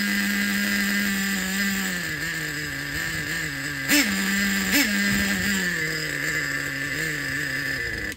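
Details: Used Traxxas 4-Tec nitro engine with carburetor reset to factory four turns out, after a wrongly installed EZ-Start one-way bearing was found: steady high buzz with two throttle blips, running cleanly. Normal running.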